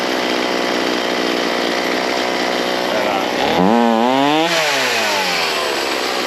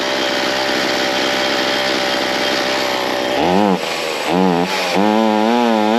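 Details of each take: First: Ryobi C4618 chainsaw during carburetor tuning, low jet and idle set, high jet being adjusted: high buzzing idle, revs dip and climb slowly on a blip; sluggish throttle response, likely needs high jet opened slightly more. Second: Ryobi C4618 chainsaw two-stroke after low-jet adjustment, opened in half turns from fully closed: settles into a steady buzzing idle without dying; normal idle, high jet still needing a slight adjustment for throttle response.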